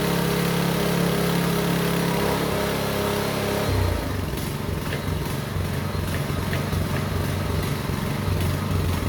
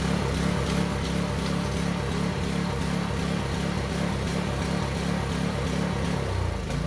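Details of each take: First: Small engine on a concrete vibrating needle that previously would not run, after carburetor work, started on choke: after a rough start it settles into a steady, lumpy, even beat and runs well. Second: Concrete vibrating needle's small single-cylinder engine after carburetor disassembly and cleaning runs fairly well but with an uneven, loping beat, about three pulses a second, like a big lumpy cam; owner suspects gunk still coming through the fuel line and system.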